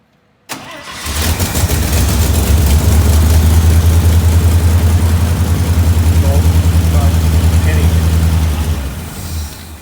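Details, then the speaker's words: 1967 International Loadstar 1600 truck during overhaul, carburetor mixture screws backed out a half turn: engine catches, runs rough and lumpy about 10 seconds, then sags and dies; won't hold idle, fuel mixture suspected. "okay we're getting that same thing it ran it runs for about 10 seconds"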